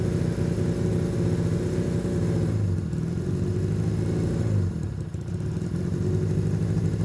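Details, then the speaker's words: Long-sitting, previously seized Honda Benley "Baby Dream" motorcycle holding a steady idle with one brief dip that recovers, after the carburetors were cleaned and properly reassembled. "That bike idles now. And that bike idles because the carburetors were cleaned and reassembled properly."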